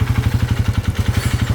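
Low engine thumping at about twelve beats a second, with a hard clatter riding on each beat: rod knock from lost oil.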